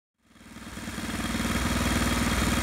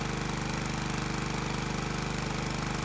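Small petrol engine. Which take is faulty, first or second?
first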